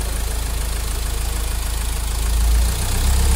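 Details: Mahindra XUV500 diesel after a full engine overhaul; the engine had overheated from a coolant leak and developed a tak-tak noise. Now a steady, even idle at about 200 pulses a minute with no knock.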